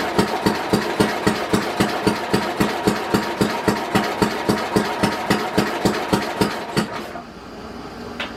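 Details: 1967 Simplicity Landlord 2010 lawn tractor, rear PTO unplugged, fuel on: even cranking near 220 beats a minute, no firing before it stops; ignition timing badly out.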